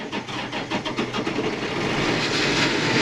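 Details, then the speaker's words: John Deere 9230 tractor: cranks and catches, then a harsh rising rush with pulsing rattle and heavy white exhaust smoke; failed turbocharger making terrible noise, coolant also lost; shut down to prevent damage. "so the turbo is making a terrible noise and we got a lot of a lot of white smoke out of the exhaust"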